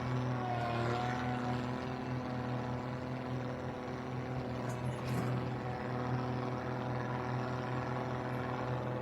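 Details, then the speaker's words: Owatonna 260 swather at first start of the year: slow, loping, slightly uneven idle with steady low drone, idle set far too low; a little smoky, owner suggests an electric fuel pump to prime faster; otherwise runs well. "holy K that idle slow this thing needs an electron or electric fuel pump yeah that way it primes faster"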